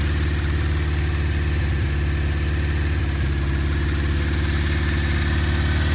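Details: 1974 Honda CB550 four-cylinder after timing, cam chain, valve adjustment and carburetor synchronization: smooth, steady low burble at idle with an even beat and no hunting; the four carbs are pulling together.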